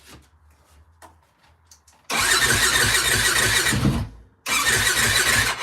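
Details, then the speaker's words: 2004 Yamaha WR450F after carburetor rebuild, float possibly slightly off (fuel leak suspected), cold start with a little choke; single cranks briefly catch with a raspy uneven bark, die, then fire again. "little bit of choke. Wants to start, I think. Sounds like it wants to go."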